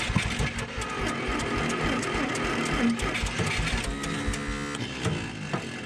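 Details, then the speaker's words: Bombardier Snow-Cat parked 10 years, cranked on a dying jumper pack with gas and starter fluid; ragged sputtering firing that catches but won't keep running, owner suspects not firing on all cylinders, maybe distributor cap or rotor, may replace ignition. "the bottom line is I couldn't keep it running. So we're gonna have to have a round 2 of this. I'll have to revisit it. I think it's not firing on all cylinders, so maybe I'll replace the ignition system."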